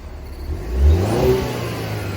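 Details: 2020 Cadillac CT4-V Series four-cylinder: quick clean throttle blip that rises and falls smoothly, with a faint turbo whistle on the way up; healthy, normal free revving.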